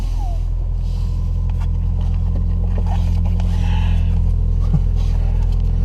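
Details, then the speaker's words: 2009 Subaru Impreza after exhaust leak work (stripped head bolt suspected), driving: steady low smooth exhaust growl, no rattles or hiss; normal engine and exhaust. "Hope you can see this. It's got a nice growl to it. Yeah. I'll be happy with that."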